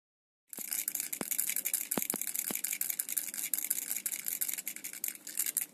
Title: Remax Flinc 5000 mAh powerbank new rattling sound